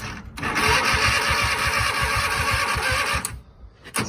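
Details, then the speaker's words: Craftsman hydrostatic garden tractor, Kohler V-twin sat about a year, new plugs, choke on, some throttle: slow, uneven chuffing for about three seconds as it tries to catch, then drops away; a reluctant, hard start. "All right, we got new plugs in. Choke's on, a little bit of throttle there. Let's see if she fires."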